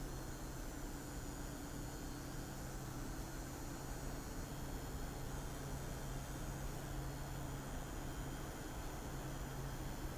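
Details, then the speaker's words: Thermalright CPU air cooler under 3DMark load: steady, even airy whoosh with a low hum, no ticking, rattling or pulsing; fans running normally. "je vais vous faire écouter maintenant les bruit ce que ça donne donc premièrement avec le thermal R s 3D"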